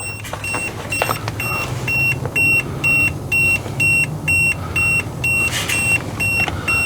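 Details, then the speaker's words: RV GFCI outlet wiring check: multimeter on ohms in continuity mode beeps rapidly when probes touch ground to neutral, revealing a ground-neutral short; ground-hot and hot-neutral show nothing. "i've got my meter set on ohms and i've got it set to beat if it reads any continuity there's what it sounds like when there's continuity i'm just touching the from ground to neutral oh look at that would you"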